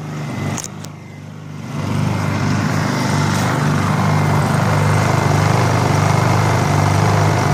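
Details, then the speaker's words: Honda EU2000i inverter generator during tune-up: engine climbs in speed after a couple of seconds, then holds with slight waver, hunting at idle; owner gets non-ethanol premium fuel and suspects a plugged idle jet needing carburetor cleaning. "you can hear them seeking maybe you can hear"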